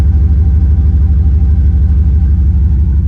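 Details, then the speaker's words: Dodge pickup with 5.2 V8, air cleaner missing, no smoke from the exhaust: deep, smooth idle with an even pulse about three per second and no skips or knocks. A healthy engine. "That's a healthy 5.2. Happy 5.2 right there. No smoke at all coming out the back. Here, just listen to this thing idle for a minute. So smooth."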